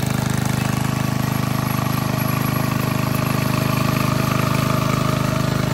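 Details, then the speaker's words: 1951 Briggs & Stratton 6B-SF single-cylinder, 1.75 HP, rated 3600 rpm, cold start at about 30 degrees on choke: chugs smoothly at a steady slower speed, even beat, no misses after moving the governor spring, dropping at least 500 rpm; normal low governed speed. "well that governor adjustment definitely did the trick didn't it it really slowed the rpms down so just by moving the governor spring from this hole to this hole we dropped at least 500 rpms"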